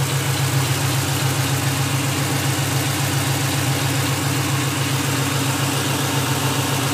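Engine idling evenly with a faint, quick regular ticking under the drone, about two a second; source of the click unclear.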